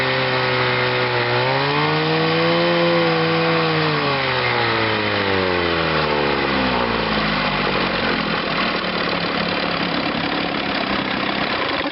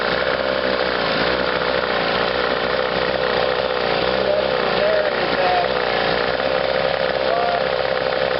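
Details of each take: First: Chrysler two-stroke outboard on a test wheel, in gear under power during a charging check (12.93 V battery rising to about 14.5 V). It pulls cleanly, pitch climbing then easing with throttle, firing steady with no misses. Normal running under load. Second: Chrysler two-stroke twin outboard, electric start, on a test wheel: buzzy note wavering as one cylinder cuts in and out, running on one; intermittent ignition misfire.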